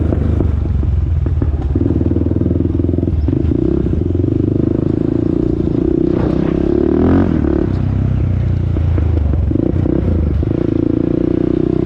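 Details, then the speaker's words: 2001 Honda TRX400EX on a test ride after a small ticking noise was heard on an earlier run, moving slowly at about two miles per hour: low, throaty note rises and falls with throttle over road rumble, no ticking heard; sounds healthy. "y'all yeah I don't really hear no ticking noise y'all let me know what y'all think"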